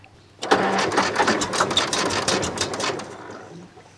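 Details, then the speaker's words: 1941 International Harvester TD-14 dozer abandoned 25 years, cranking with choke on: starter churns steadily but the engine never fires; oil-bath air cleaner then found full of water, suspected cause. "Oh, I have I never checked my oil bath air cleaner and I think we're full of water."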